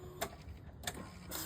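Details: TVS Callisto scooter that had been sputtering, ticking and stalling: on key-on, a couple of light clicks then a steady, strong electric whir; fuel pump primes normally with strong flow after being cleaned.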